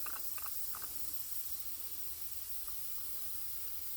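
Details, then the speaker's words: Leak-down test at 100 psi on a cylinder of the burnout truck's engine, checked after a hard run: faint steady air hiss, no rising rush or loud escape; cylinder holds pressure and passes. "hook this up to the cylinder supply it with air we're running them all at 100 psi and the right gauge will show us either good news or bad news"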